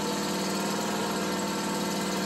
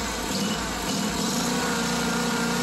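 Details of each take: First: Small petrol engine with a carburettor missing its Welch plug (vacuum leak), idling evenly with a steady drone and no surging or popping while the leak is sealed with a finger; it runs rough again when uncovered. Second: Small mower engine surging at idle, uneven hunting note; smooths briefly when carb cleaner is sprayed around carburetor/intake gaskets, then idles erratically again; vacuum leak at carburetor, here a missing welsh plug.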